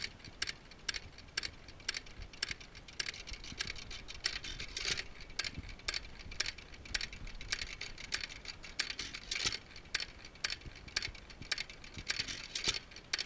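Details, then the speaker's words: Antique hit-and-miss engine (of a Majestic and Waterloo pair) with an igniter, low-tension coil and 12V battery, no magneto: evenly spaced light puffs and clatter about twice a second, panting between strokes because the exhaust valve is held open; normal running. "It pants just like a dog in between strokes because the exhaust valve is kept open."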